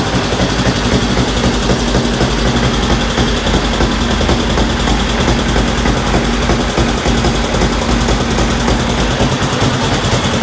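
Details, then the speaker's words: 1965 Honda CL77 305 Scrambler, restored, first start in several years with fogging oil burning off: steady, lively twin-cylinder idle with even beat, no knocks or rattles; normal idle. "pretty good sounds pretty good there we go so yeah that's awesome sounds good"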